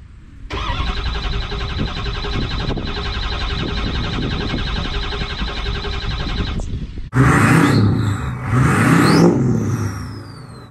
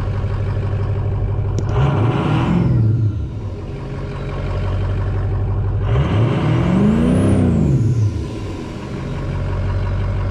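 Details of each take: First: 6.0 Powerstroke diesel that repeatedly fails to start: starter churns engine at about four even beats a second for six seconds, never fires; crank no start, cause unconfirmed. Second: Ford 6.0 Power Stroke diesel after a no-start: debris cleared from the IPR valve and a loose FICM plug refitted. Two clean revs rise and fall smoothly from a steady idle with no misses or knocks; now running flawlessly.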